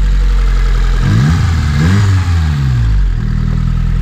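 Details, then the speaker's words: Honda Civic EK hatch with built single-cam engine (Y7 bottom end, Z6 crank, stock head with upgraded springs and retainers, aftermarket cam) after reseating pushed-back pins on a plug; deep even rumble with smooth blips, no missing; normal idle. "it sounds good now that's how Honda should sound"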